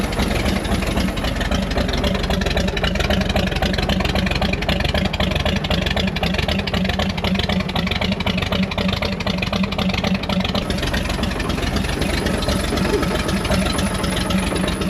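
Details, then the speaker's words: Chevy Bel Air sitting about 45 years (last registered 1981), first run with no radiator or cooling system, not knocking: uneven lumpy tractor-like idle about four beats a second; rough idle, timing suspected slightly off. "Timing might be a smidge off. It's gonna idle. This thing sounds like a darn tractor."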